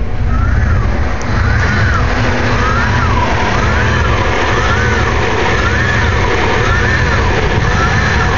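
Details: Jeep Grand Cherokee 5.9 V8 rough idle that began the morning after a battery jump: deep uneven rumble with a faint whistle rising and falling about once a second.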